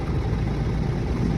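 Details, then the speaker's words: Used-car check with the air conditioning switched on at idle: rpm wavers slightly from 800 up to 900 then settles back, staying smooth with no strain or hunting. Normal idle with A/C on. "Burada gördüğünüz gibi ufaktan bir dalgalanma oldu. Böyle 800'den 900 devire kadar çıktı ve evet şimdi gördüğünüz gibi hafif hafif tekrar yerine geliyor."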